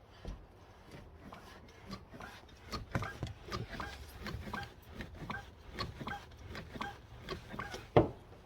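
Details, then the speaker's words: Clutch pedal squeak in a drift Supra: repeated short squeaks and rubbing creaks each time the pedal moves in a quiet cabin, from the rubber bushing in the clevis pin area that was burnt while welding on a pedal extension. "Yeah, I roasted that when I was welding the extension on, and it sounds like something I'm going to be living with for a little bit."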